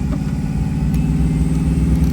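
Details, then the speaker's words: Supercharged Hemi V8 Mega Cab truck with deep, even burble and no misfire after spark plugs were regapped to 0.028 in and a misfiring coil pack was replaced; healthy running. "I love the way this truck is running. It's so happy."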